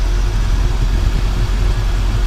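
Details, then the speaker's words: 1985 Chevrolet K5 Blazer squarebody, 96K, V8; started up, deep even rumble at idle, no misses, taps or knocks, runs really smooth; normal idle. "Go ahead and fire it up. Runs really, really smooth."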